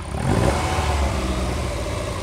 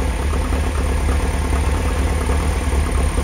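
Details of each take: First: Lotus Elite, quick throttle blip after carburettor adjustment: a small exhaust pop from an air leak in the exhaust letting in dry air; throttle also slow to return, needs a return spring. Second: Lotus Elite after oil, filter and belt change, adjustment retried at 14 after a setting of 16: even steady idle with a brief blip settling smoothly, no hunting or misfire; sounds much better.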